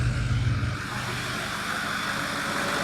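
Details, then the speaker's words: Ford 6.0 Powerstroke diesel truck catches right away and settles into a steady, even clatter with no misses or knocks; normal start and idle. "Just listen to how much better this one runs, or the fact that it does run."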